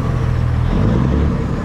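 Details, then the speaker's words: Peterbilt 379 semi diesel with loss of power: deep idle with lumpy, uneven beat and weak pulses, hiccup on the low end; mechanic suspects injectors not firing well, possibly cam; cause unconfirmed. "sounds like the injectors are not firing all that good could be a cam too [Music] so yeah you can hear she just got a little bit of a hiccup on the low end"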